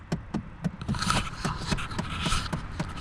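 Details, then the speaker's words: 2008 Chevrolet Impala: rapid, even clicking from behind the dash, about four a second, from a failing HVAC blend door actuator, to be replaced. "coming from back up in here um i've changed these out before what they are is a blend door actuator"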